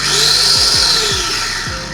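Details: SX-685 chopper after replacing dinamo that sparked at carbon brushes and stator coil with burnt smell, new motor's dual switches modified: high even whine starting and holding steady, shifting as it changes speed, no sparking crackle or stutter.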